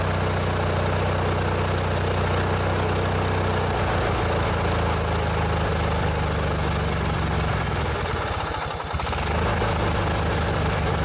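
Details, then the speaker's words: Old 16 hp Briggs and Stratton opposed-twin riding mower engine, with a modified choke cable, running normally: an even, steady low drone with a smooth step in speed and no knocks or misses; runs smooth with lots of power. "This is one of my favorite engines that Briggs and Stratton ever built. They run really smooth and they have a lot of power."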